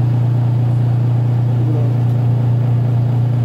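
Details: Washing machine, timer on: wash motor underneath gives a loud steady low hum with no wash action; the motor pulley slips on the belt because the pulsator drive is seized and tight. Lubricating may free it.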